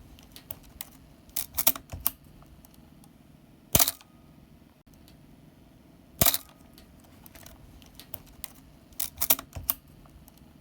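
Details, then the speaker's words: Canon A-1 film SLR after lubricating the mirror box gears with oil via syringe (fix for squeaky, slow mirror and asthmatic-sounding shutter): crisp, quick shutter clicks with a clean snap, no squeak or drag; mirror release speed back to normal. "fire the shutter three or four times and the shutter sound should go back to normal as well as the speed of the mirror release"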